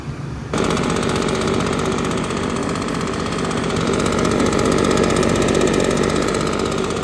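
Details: Husqvarna 150BT two-stroke backpack blower after tune-up with new air filter, fuel filter, grommet and fuel lines: catches and settles into a steady, even high buzz without surging or bogging.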